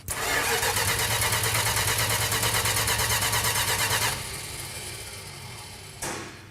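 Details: 1968 Dodge Charger R/T: steady starter cranking, about three compression beats a second, for four seconds without catching; cranks but won't fire. Crew considers more ignition advance, and fuel pump is then confirmed pumping.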